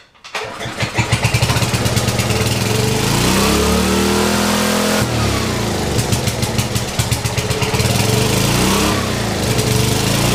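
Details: Old free generator, first start, choke being worked: engine catches and races with climbing pitch that won't settle, then drops to steady governed beat; governor stuck wide open.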